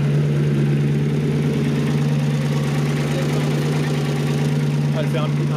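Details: Maserati 3200 GT V8 biturbo at start-up: fast, fairly even rattle about three per second over a steady idle hum; metallic chatter owner hopes is timing chain rather than valves, similar hot or cold; not confirmed.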